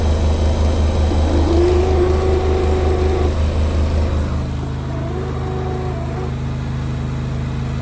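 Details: Beko washing machine drain pump making a strange noise: a loud drone with a throbbing pulse and a wavering whine riding over it.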